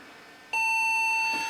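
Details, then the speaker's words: Japanese dog-themed PC case, original case speaker connected, memory removed: one long steady high beep after a silent start, the BIOS no-memory code, showing the CPU is running though there is no picture. "That is the BIOS for we have no memory which is correct. That's good. That means BIOS code is running which means the CPU must be running to at least some degree."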